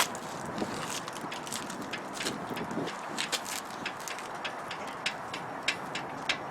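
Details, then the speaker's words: 2010 Buick Enclave front suspension, clicking also heard driving at low speed: sharp irregular clicks as the front is rocked up and down, traced to bad sway bar links on one side. "hear it does a clicking noise when I'm driving in a low speed that's a clicking noise all right here"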